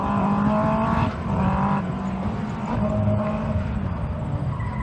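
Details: 2001 Yamaha R1-engined dwarf car with modified square chassis at autocross, revving hard under load with uneven stumbles and breaks in the note between shifts, tyres squealing; misfiring, cause not known.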